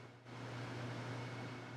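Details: Large portable roll-around air conditioner running in a garage: loud, steady fan rush over a constant low hum, even throughout; running normally, just noisy.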